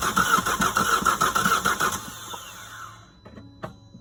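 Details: Opel Astra H with Z17DTH diesel won't start, starter suspected but unconfirmed: about two seconds of rhythmic cranking, roughly three strokes per second, stops without catching; cranks but no start.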